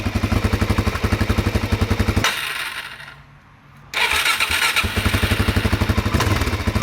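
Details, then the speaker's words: Newly bought DRZ400 single, sounds healthy and runs fine at full throttle, checked with a stethoscope on the cases: sharp regular knocking about four per second through the blips from idle, like something hitting. Cause unknown; the owner plans to pull the valve cover and check timing. "for some reason it sounds like something's hitting I don't know honestly I mean the engine sounds healthy until you blip it"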